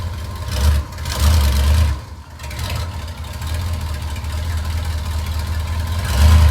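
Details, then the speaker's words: Car with a Magnaflow exhaust at idle: a loud, deep, throbbing note with brief louder swells as exhaust blows from a loose flex pipe joint, fitted where the exhaust was cut to pull the engine, ahead of the muffler. "so there's the flex pipe that clearly is blowing you can see the black the backside of it"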